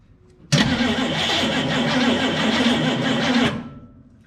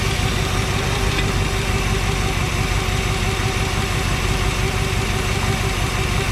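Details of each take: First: 1963 Chevrolet Impala SS V8, sitting 35+ years, spark plugs back in, fuel shot in: starter churns slowly with a labored rhythm for about three seconds without catching; tired battery causing slow cranking. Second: 1963 Chevrolet Impala SS V8, sitting 35+ years, after fixing a fuel-line leak with a proper crush washer: steady, even idle with a smooth low rumble and no misses or stumbles; engine running healthy.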